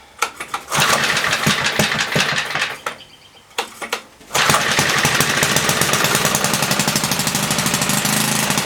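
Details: 1976 Tilly rototiller with a 3 hp Briggs & Stratton points engine, not run for years, carb ultrasonically cleaned. A few pulls and sputters, then a loud, slightly uneven bark. Running rich; the main jet needed leaning.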